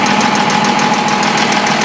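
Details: M35A2 Deuce truck at idle: steady idle with a sharp tapping knock repeating several times a second; clear knock, cause not yet known.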